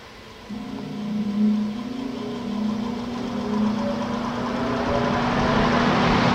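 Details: Old 20-inch Coronado box fan from the garbage, repaired: burned-out low-speed transformer bypassed, motor wired direct for one speed. Loud steady motor hum with an even airy rush throughout; running normally.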